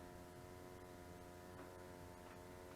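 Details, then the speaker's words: 30-year-old Carver Cascade 2 caravan water heater after service, flue plate off: soft even roar with faint steady hum, no popping; smooth blue flame, normal burner operation. "And that's a nice smooth blue flame. So that's all looking good."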